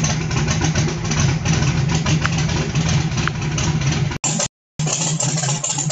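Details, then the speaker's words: Carbureted small block on pump E85, CSU blow-through carb, no choke or aux fuel, just cold-started, throttle untouched, needing about 10 minutes to warm; lumpy, slightly uneven low idle with heavy rumble; ethanol not burning cleanly yet. "this thing run it take 10 minutes for this thing to get up to operating temperature still nice cold i haven't touched the gas"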